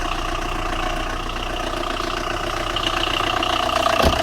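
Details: Tata Indigo 2011–12 diesel with morning starting problem, idling: steady fairly rapid engine knock about three to four beats a second; radiator fan not running.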